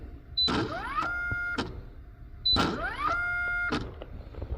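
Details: 2018 Kegel FLEX lane machine oil pump motor run from the input/output test menu, after reseating connectors: two tries, each a rising electric whine that settles briefly to a flat tone then cuts off; pump motor stalls under load, cause unknown.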